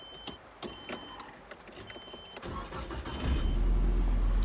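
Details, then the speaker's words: 1997 Nissan D21 Hardbody, 107,000 original miles: a low, steady whirring drone like a CD changer at the passenger-side firewall when the key is turned on. The truck runs fine with no engine lights; the cause is unknown. "want to see if y'all could help me out on 107,000 original miles I got it with 84,000 nice and clean but if y'all hear this when I turn the key on hear that sounds like a CD changer almost"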